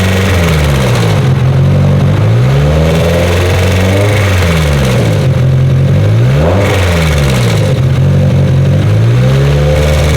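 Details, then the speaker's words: Mitsubishi Evo engine after boost spiked to 45 psi on pump gas: sounds fine at idle, but revving brings a rough internal noise that rises and falls with rpm; engine to be torn down. RPM-dependent internal engine noise. "limping the car back to the shop, but something's making noise and it's RPM based, which is about the worst."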